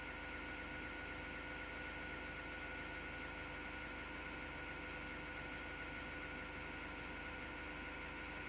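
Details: Steady rough grinding whirr over a constant hum inside an MSGW Plutos PC, pitch never changing; source of the grinding not pinned down.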